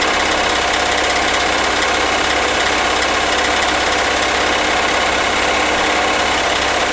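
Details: 2003 Acura MDX V6, 208K miles, misfires on all six cylinders, overdue timing belt, ticking valves: loud harsh idle with fast ticking knock; dealership suspects wrist pin or rod bearing, owner suspects jumped timing tooth.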